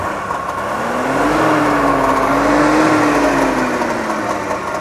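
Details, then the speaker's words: 1964 DKW Deluxe Junior F12 two-stroke with belt-driven oil injection pump, smokes slightly: buzzy even two-stroke beat rising smoothly with light revving and dropping back to idle, no knocks or misses; healthy. "Has that little uh you know just sounds like a little little two-stroke engine."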